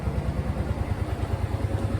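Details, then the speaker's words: 2003 Kawasaki Teryx UTV, 2,500 miles, rebuilt engine, new smaller Walmart battery, just started: even low thumping at about ten beats a second with no knocks or misses; normal smooth idle. "Right up, baby. The old green monster's running."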